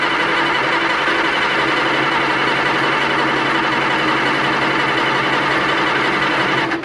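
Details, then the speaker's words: 1960–63 International Cub Lo-Boy tractor sitting 10+ years, fresh gas added, on a weak jump box: steady whirring crank for about seven seconds at an even pace that never catches. Cranks but won't start. "Well, we got it cranking. As you can see, all this, that's spilled gas, don't worry about that."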